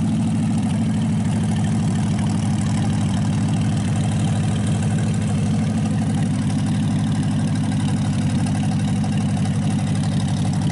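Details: Packard 374 cu in V8 at steady idle after crankcase drained and carburetor cleaned, run from a small overhead fuel tank while heating up: deep even beat, no skips, all 8 cylinders firing; still smoking from oil in intake. Normal idle.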